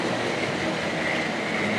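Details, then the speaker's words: Two Hornby Triang Dock Shunter model locomotives: a steady, even hiss and whirr of small electric motors and rolling wheels with no stutter or catching. Normal smooth running. "Yeah. Come on, round once more. Yeah. Yeah, you can hear them purring along anyway."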